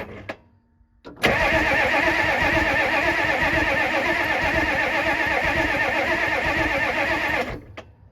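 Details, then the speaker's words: Ford F-350 diesel sitting 19 years, cranked while checking for fuel flow; steady, even cranking at roughly 160 compressions a minute with no firing, and no fuel appears. Crank, no start; no fuel and a needed lift pump are suspected. "Nothing. Not looking too good."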